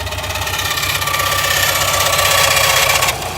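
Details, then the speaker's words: Subaru WRX STI at idle: a sharp regular knock about four times a second, suspected rod knock but traced to a loose timing tensioner; the noise stopped once tension was applied. "um me diagnosing That Knocking Noise definitely thought it was a rod knock"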